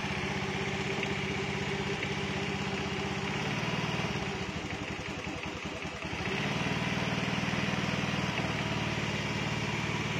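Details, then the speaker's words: Honda Beat with a stock carbureted engine fitted with a PE24 carburetor, during needle adjustment. The idle lopes and stumbles unevenly, sagging then recovering. Rich mixture; still needs more adjustment. "Nah jadi bisa dilihat ya bisa didengarkan juga untuk suara keborosan Biasanya seperti ini suaranya ya"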